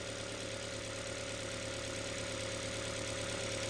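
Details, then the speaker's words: 2011 Ford Fiesta Titanium automatic, first start after head gasket work, key cycled to prime the fuel rail: smooth, even idle with steady hum and no knocks, misses or ticks; runs normally. "wow that already sounds so much better that's exactly how they should"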